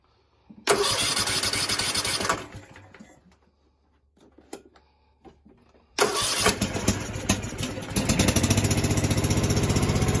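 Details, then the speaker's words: Husqvarna TS 248XD twin-cylinder riding mower that bogs or dies when the PTO is engaged: cranks, catches, dies, then restarts to a lumpy, loping idle. Pulling one spark plug changes nothing and pulling the other kills it, so it's firing on only one cylinder. "if you go to the other side and you pull it it kills the engine out so that tells me it's only firing on this cylinder so out of the two cylinders it's only running on one"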